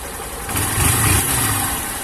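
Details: Honda Titan 160 Start motorcycle after full engine rebuild (engine had failed from lack of oil changes, previously noisy): single cylinder catches and settles into a steady, even idle with a light throttle blip, no knocks; normal start and idle.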